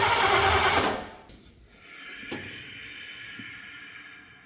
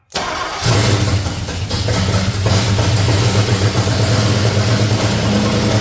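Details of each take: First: C30 truck engine on its first start attempt, using ignition parts taken from another truck. A loud whooshing pop and then a sharper pop backfire through the carb/intake; ignition timing is 180° out, and the distributor was then spun. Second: Chevrolet C30 truck small-block that sat outside about two years, first start on borrowed ignition parts with fuel poured in: fires within a second and settles into a steady, even idle until shut off; running normally.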